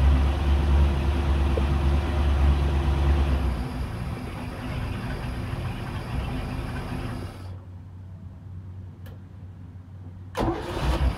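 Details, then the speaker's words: Newly installed Edelbrock 1410 carburetor after minor choke adjustment (previously too choked): steady, even low idle with no stumble or hunting, then engine shuts off cleanly; normal idle. "see once you create with normal operations condition so I like that you know to before it was too choked up so it works now"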